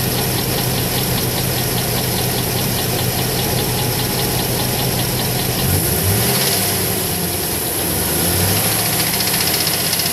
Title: 2008 Trailblazer SS engine knocking